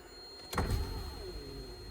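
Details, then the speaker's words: 1984 Mazda RX-7 GSL-SE power window: a low, laboured whirring hum as the window motor moves very slowly, while the other side barely moves; an electrical click is heard, and dirty window switches are suspected, not confirmed. "See that? Moving really slow. This side barely moves at all."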